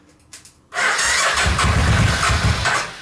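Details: Suzuki VX800 engine in homemade buggy, starting on residual fuel: cranks, catches with a ragged roar about two seconds then fades out; owner suspects insufficient fuel, plans carburetor cleaning.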